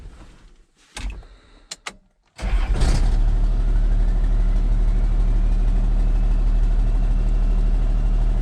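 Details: 1994 Isuzu cab-over truck, Allison automatic, sat 3 years, restarting after first successful run; short crank, catches at once, steady even idle about three beats per second; normal start and idle.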